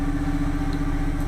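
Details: Standby generator run under load after a transfer switch test transfers the building to emergency power (about 207 V versus about 212 V normal): steady, even engine drone with constant mid hum and smooth low rumble, no knocks or misses; healthy.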